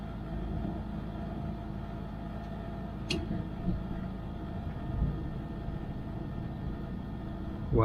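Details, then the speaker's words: Trane XV90 furnace after inducer fan motor replacement, burner lit: smooth even low hum with soft steady fan note, no rattle or whine; much quieter than before, inducer healthy. "It just lit. And we're running. We're off to the races."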